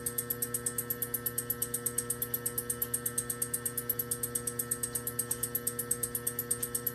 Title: Hi pitched ticking noise on CP pump